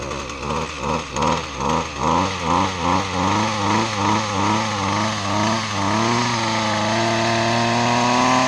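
Small single-cylinder engine pulses two or three times a second, then settles into a steady, even idle; it sounds healthy.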